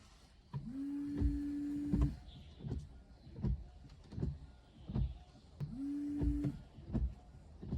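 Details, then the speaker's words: Wiper after replacing the blade with a silent-type segmented frameless blade; motor hums through each sweep with soft end thumps, no chatter or squeal; the earlier noise is gone. "显然，这个异响已经消失了。"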